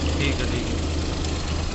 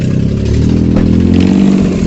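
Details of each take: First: Suzuki Alto 800 at idle after silencer repair; the loud exhaust noise came from a leaking, folded exhaust pipe. Steady, even idle with a deep smooth exhaust note, no puffing or ticking; exhaust sealed and healthy. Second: Suzuki Alto 800 running: loud raspy blatting that swells with each rev, leaky puffing from the manifold area; exhaust studs found damaged, causing the silencer noise.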